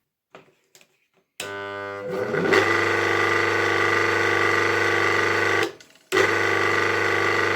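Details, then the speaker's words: 1964 BZFWr-120/78 washing-machine motor from Poniatowa with new 6202 bearings, run on the main winding only: a steady hum with a strong buzzing whine that drops out and restarts; a winding short circuit is suspected and the motor needs rewinding. "Like I said, the motor doesn't run well. Unfortunately, it probably has a short circuit between the windings and will require rewinding."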